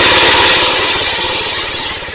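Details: Cub Cadet Original with single-cylinder Kohler K161 after tune-up (new head gasket, rebuilt carburetor), first start: loud, fast single-cylinder putter catches cleanly and settles slightly over two seconds; running healthy and even, normal.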